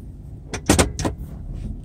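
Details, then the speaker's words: 1997 Ford F150 4.2L V6 after replacement of all catalytic converters and a right intake runner mechanism: low engine rumble with short sharp rattling bursts from behind the dash; cause unknown. "I'm having a rattle from behind the dash."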